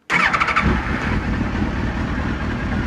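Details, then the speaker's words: Suzuki GSXR K2 race bike project, gel battery, started with screwdriver, fuel pump priming: short starter whir, catches at once and settles into a strong, even run with no misfire; healthy start. "there we have it she lives so yeah awesome well please do that sounds really nice actually"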